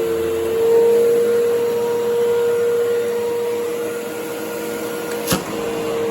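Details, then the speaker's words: 1997 Phantom Fury 10 amp vacuum cleaner, about 25 years old, motor serviced, with hose attached; steady even motor whine with strong rushing air through machine and hose, no rattles or grinding. Normal motor run. "so you can see that despite being a 25 year old phantom it runs very nicely and for fury you can hear there's a lot of air moving through the machine and through the hose"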